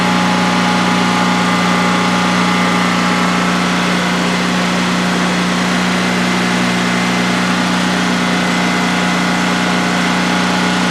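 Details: New DuroMax XP15000HX generator installed in a shed, on propane for its second start-up with the exhaust fan off: a smooth, steady low drone at constant speed with no knocks, surging or hunting over 5 minutes. Normal idle, no issues.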